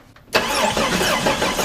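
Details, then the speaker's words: 1990 Jeep Cherokee XJ, sat five years non-running: steady uneven cranking churn with no firing catch; cranks but won't start, no spark found, crankshaft position sensor suspected, coil also considered. "no spark alright so I'm wondering now if it's not the crankshaft position sensor okay that would cause a new spark condition"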